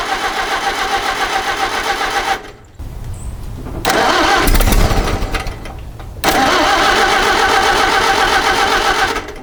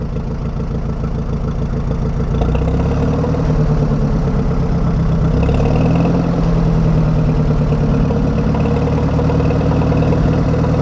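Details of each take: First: 1961 Oliver 550 tractor with a Marvel Schebler carburetor, after setting the idle screw 2.5 turns in, choke on, fuel on: it cranks, runs briefly, dies, then fires again and won't stay running. It stays running only on sprayed ether, so the carb will probably come off again. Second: 1961 Oliver 550 tractor after Marvel Schebler carburettor rebuild, old gas still partly in the tank: low, steady idle with an even beat and no stumbling after idle and throttle adjustment; normal idle.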